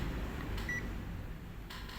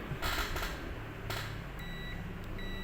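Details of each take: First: Multimeter set to continuity mode, probes touched together before testing SMD capacitors for shorts: one short, clear high-pitched beep over low room hum, showing the meter works normally. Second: Multimeter continuity test on an SMD capacitor, one probe on ground/negative: clear high-pitched beep on one leg, showing that capacitor pad connects to ground.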